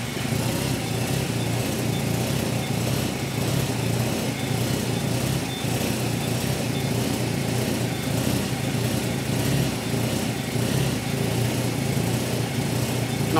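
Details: R5 Maxi replica race car: engine catches and settles into a steady, even idle with no misses or knocks; starts and runs healthy.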